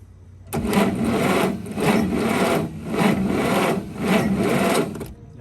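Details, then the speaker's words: 1951 Studebaker engine cranking after points flicked and checked opening and closing: starter whirs in slow, even surges about once a second, engine turns over but never catches; no spark at the points, which are then filed clean. "it's opening and closing but do we have sparkles no sparkles"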